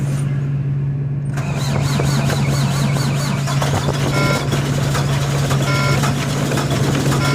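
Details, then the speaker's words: Old Volvo diesel cold start at about 2 degrees, frozen up: heavy clatter settling into an uneven, lumpy, rough idle right after firing; cause not identified. "Nevertheless, the old Volvo, she didn't let me down. She fired up. Hateful sounding, boys. Hateful sounding."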